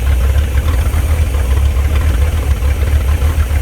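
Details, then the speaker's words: Abandoned Chevrolet C10 project V8 idling with the fuel pump no longer hooked up, still running: deep, even burble with a steady rhythm and no ticking or stumbling; a healthy idle. "That's awesome. Runs great. I I mean that pump's not even hooked up anymore. It's still running."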